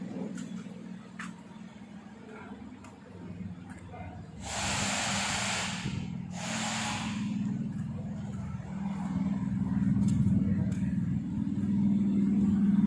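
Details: Kancil converted to Japanese AVY turbo engine, freshly started: steady low even idle with a couple of brief hissy bursts, no knocks or misses. Engine okay, no smoke; initial exhaust smoke has cleared.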